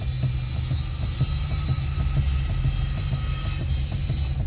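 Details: Nissan Versa with electric power steering: repeated dull, slightly uneven clunks about twice a second over a low hum as the steering wheel is turned — likely steering joint play.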